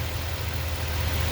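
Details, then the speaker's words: 2020 Ford F250 Super Duty 7.3 Godzilla, gen-1 10-speed: smooth, steady idle in park with no grinding; the noise appears only in drive with the brake held. "now you notice here i got it in park there's no noise"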